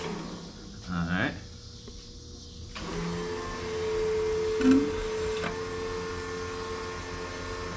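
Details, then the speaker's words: Factory Five 35 Hot Rod Truck on its first start attempt, no gas smell: steady electric hum for a few seconds with the engine off as the fuel pump primes; pressure rose from zero toward about 40 psi, target 58. Normal fuel pump priming. "we got fuel we got some fuel pressure here at least it came off as zero so"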